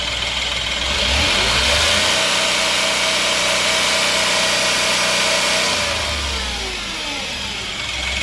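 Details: Ashok Leyland Dost diesel after replacing a faulty crank sensor that caused misfire and no revving, with no fault code on the scanner: in neutral the engine revs cleanly to full speed, holds steady, then settles to an even idle; crackling gone.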